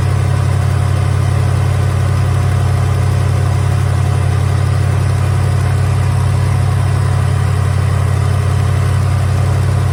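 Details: 1983 Hurst/Olds 15th Anniversary 307 V8, revived after sitting parked since about 2002, warmed up: a deep, smooth, even idle burble with no ticks, knocks or misses; runs pretty good.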